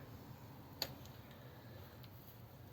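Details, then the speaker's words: 1932 Ford with Volvo 4-speed overdrive transmission swap, ignition on auxiliary, in fourth gear, phone by the solenoid in quiet garage: one crisp click then fainter ticks as switched; overdrive solenoid pulling in normally. "now if you listen and i'll put the phone down by the solenoid so you can hear it off i'll do it gently so you can't hear the switch on off"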